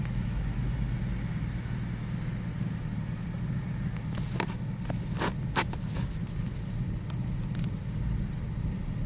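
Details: 2001 Nissan Xterra idling: an uneven, lumpy rumble with a few sharp clicks. The rough idle is intermittent, rough for 5-10 minutes then normal for 5. The vehicle also has a misfire problem. Cause not pinned down.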